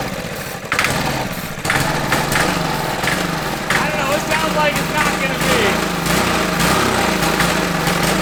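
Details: $50 Marketplace minibike single-cylinder engine, stored five years, first start after fitting a spark plug: uneven buzzing with raspy, puffy edge, possibly blowing out, no knock; rough running after long storage, engine judged good.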